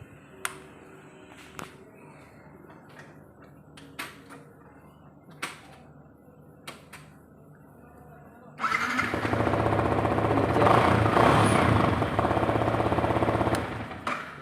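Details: Yamaha R15S motorcycle with starting problem, pushed: a few scattered clicks, then a loud fast steady churning for about six seconds as the engine struggles to start; cause unclear.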